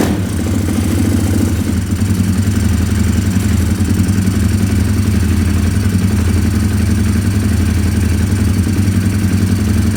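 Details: 2020 Orion RXB 150 pit bike at idle: small single thumps uneven and wandering, a lumpy rough run with a little smoke; owner suspects an un-jetted carburetor, and the smoke is blamed on oil overfilled to the brim.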